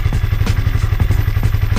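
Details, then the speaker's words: Honda CB150R after more than five months running 100% cooking oil as engine oil: steady, even low thumping at idle with regular firing pulses and no knocks or ticks. Smooth, healthy idle. "Nah itu Mbah suaranya Suara mesinnya setelah lima bulan lebih menggunakan minyak goreng suaranya halus Mbah tetapan suaranya halus dan saya kira masih sehat-sehat saja Bah mesinnya suaranya tetap halus"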